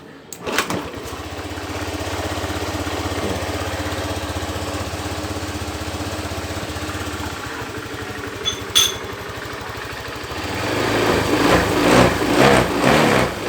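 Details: Honda Beat FI scooter that was totally dead, after swapping in a matching K25-coded replacement part: fuel pump hums at key-on, then engine catches and settles into a steady, even low idle; now starts and runs normally.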